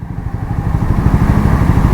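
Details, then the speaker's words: Triumph Speed 400 single, 5674 km, after software update for the stalling issue: after riding and pulling in the clutch from 60 km/h, engine holds a steady, even idle with no dips or hunting and no longer stalls. "And अभी देखो इसकी आवाज़, engine की जो RPM है stable है।"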